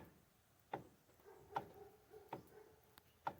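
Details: Mitsubishi L200 Triton during column reassembly. Sharp isolated clicks about once a second come as the wheel turns in a quiet cab; the owner thinks it sounds like a bearing, source not yet found.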